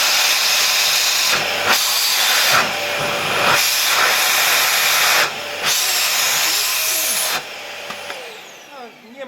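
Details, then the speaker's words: LG V-3340D vacuum cleaner with new replacement no-name motor fitted, run directly on mains without voltage regulator: strong, steady high rushing roar at full suction, even before shutdown; sucks air very solidly, runs normally. "don't have a vacuum gauge here; I need to get one, but I have to admit, it really does suck in air very, very solidly."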